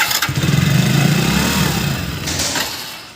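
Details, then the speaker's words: Hero HF Deluxe BS6 motorcycle, spark confirmed good: engine catches, runs roughly about two seconds, then dies repeatedly; weak fuel pump motor not delivering enough fuel, so a new fuel pump is fitted. "लेकिन ये बार बार बंद हो जा रहा है।"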